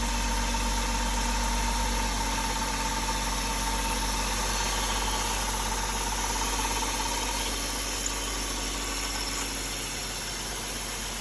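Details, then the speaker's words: BMW E36 at idle before a track day: faint, fairly regular whirring tick about three per second, seeming to come sometimes from mid-engine, mostly from the front; alternator and accessory pulleys ruled out by owner, cause unconfirmed. "yeah so as you can see it's it's kind of a weird noise sometimes it sounds like it's coming from the middle of the engine sometimes it's from the front"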